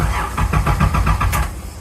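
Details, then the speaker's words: Nissan Z31 after a new fuel filter install, fuel pump primed, clutch in, with suspected wiring issues and heavy cranking the day before: sluggish, labouring crank about seven lumps a second fading without firing; weak, dead battery. "Okay. The battery is dead. Battery's definitely weak. Could have cranked there on that first and second one, but I'm going to go get the jump box and try again."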